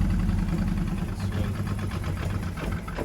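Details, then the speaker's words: Mk1 Ford Fiesta with XR2 running gear, garage find just brought back to life; lumpy, uneven idle with a loose, irregular low beat instead of a steady hum, missing on one carb. "tweak them carbs and stuff. Yeah, you're missing on one carb."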